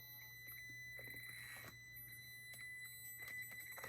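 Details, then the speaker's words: Traxxas TRX-4M Bronco RC crawler, crawling slowly: thin steady high whine near two kilohertz over quiet motor noise; low PWM frequency whine from the ESC. "you can also hear the ESC you can hear the pulse width modulations kind of low on it this is why you can hear it"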